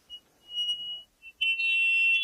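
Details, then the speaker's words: Widex Magnify rechargeable RIC hearing aid with its speaker held against its microphone: a piercing high whistle near 3 kHz cutting in and out then swelling louder, acoustic feedback. "여기 소리가 나오는 부분과 여기 소리가 들어가는 부분이 맞닿게 되면은 소리가 삐하고 들립니다."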